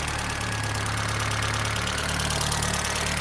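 Steady idle with a faint, uneven knock riding over the engine note, suggesting internal wear, though the exact source is unclear.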